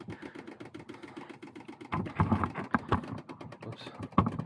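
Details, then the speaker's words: Jeep Grand Cherokee WJ after radiator replacement and timing cover reseal, power steering/hydraulic fan system just refilled: fast light ticking while cranking, then rough gurgling groans as it starts; pump cavitating on air bubbles, considered normal. "Trying to prevent the pump from cavitating, which is what that is. If your WJ makes that noise, it's totally fine."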